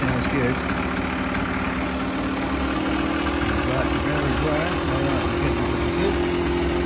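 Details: Kawasaki KMX 125 two-stroke motorbike started right after replacing a completely flat battery, ahead of its MOT. Fast, steady two-stroke idle with an even buzzy note that holds pitch for several seconds; it is idling normally.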